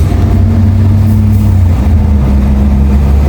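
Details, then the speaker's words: Nissan Primera P11 after gearbox rebuild for a worn input shaft bearing: steady, smooth low engine drone in gear and neutral, clutch pressed or released, with no whine or clunk; fixed. "araba viteste debraj basıyorum ses yok debraj çekiyorum ses yok sola doğru geçelim boşa alıyorum bıraktım debre değil ayağım ses yok Deja basıyorum boşken ses yok arkadaşlar aracım düzeldi"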